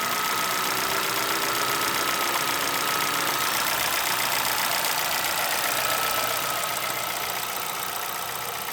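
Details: Chevrolet Celta VHCE Spirit 2011 engine at idle: fast, fairly even tapping knock of about four per second over a hissy idle; cause of the knock unknown, owner asking for help.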